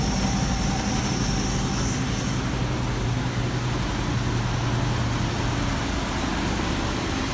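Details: 1965 Clark Cortez motorhome V8 after a failed alternator was replaced and the dead battery briefly charged: steady, even idle with a low smooth rumble and no knocks or misses; normal idle.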